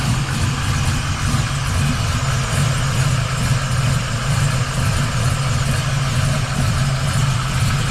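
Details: 1979 Camaro Z28 V8 warming up after first start following the swap from a Pete Jackson gear drive to an Edelbrock Performer double-roller timing chain, new balancer and water pump. Deep, steady lope with rich burble and no gear whine. Normal idle.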